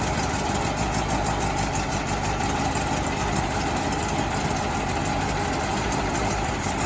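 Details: 1968 VW Bus air-cooled flat-four after rebuild, valves/rockers adjusted and distributor set to cure earlier clacking: steady, even idle with smooth thrum, no misses or clatter; runs healthy.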